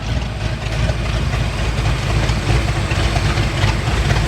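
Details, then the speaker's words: 1989 Ford Mustang GT V8 with manual transmission, after new fuel tank and fuel system installed, clutch seized, warm; deep steady exhaust rumble at idle with even low beat, no knocks or misses, normal healthy idle. "you guys want to hear that exhaust pretty much hear it there oh she sounds extremely well so good"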